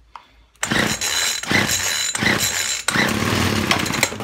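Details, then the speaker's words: Poulan Featherlite two-stroke string trimmer after fuel line replacement, full choke: high, buzzy engine catches and runs in short surging bursts with brief dips; now fires, no visible smoke. "sounds more like it zoomed out there you heard it anyways let's try it one more time choke off a bit"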